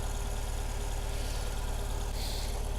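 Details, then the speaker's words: Saturn S-Series on a very cold January morning, check engine light with code P0340 and unburnt fuel smell: a low, lumpy idle shaking about three times a second, running on only two cylinders after plug leads were pulled; coil pack suspected, not confirmed. "oh look at that the thing is only running on two cylinders that thing's not running it at all"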